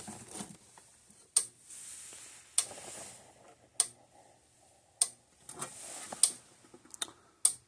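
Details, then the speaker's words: 2001 Southern States Statesman fence energizer, serviced in 2014 with a likely replaced transformer, gauge not working: sharp, crisp ticks just under one per second in a quiet room. Normal energizer pulse. "Okay, the gauge is not working, but it sounds healthy. It sounds It sounds good physically."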